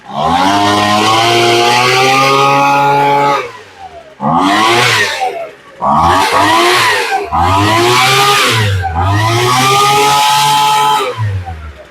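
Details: Poulan Pro two-stroke leaf blower, stored with fuel, after fuel-line replacement and before carburetor adjustment: crisp snarl climbing cleanly to full throttle and dropping back, repeated; it revs freely and strongly without bogging. Normal running.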